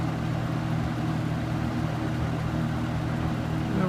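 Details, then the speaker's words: New-old-stock Superlectric box fan with plastic-shelled motor, running: steady low hum with a very faint motor whine, even, no rattles or ticks; runs smoothly, slightly faster than a similar older fan. "runs a little faster than the other one yourself and this one's really low on low maybe until it warms up it does have a bit of a motor wine but it's very faint"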